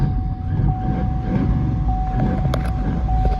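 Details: Chevy Suburban with a freshly installed battery, cold start at about -10 degrees after sitting, blower motor resistor unplugged to stop battery drain: it catches and settles into a low, steady rumble with a faint constant tone; normal cold start.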